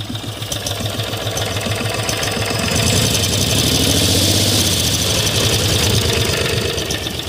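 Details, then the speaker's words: 18 HP V-twin minibike engine with stock carburetor, just started: slow, loping thump at a very low idle, steady and unbroken with no misses or knocks. Normal low idle. "just idling so low that it hardly picks it up."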